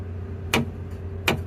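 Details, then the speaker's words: 2016 Toyota Tacoma rear end: two sharp metallic clunks when braking to a stop as the axle rocks, caused by a rear air bag bracket held by only one C-clamp moving on the leaf spring, even at 50 psi. "whenever I would put the brakes on the truck and come to a stop, the axle would rock and I get this sound."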